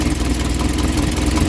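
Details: 1972 Triumph Dolomite 1850 automatic after a full ignition refresh with a new coil and an electronic ignition module: steady, even low rumble at idle with no misses or stumbles. The engine has caught and runs cleanly, and the module shows a flashing red light.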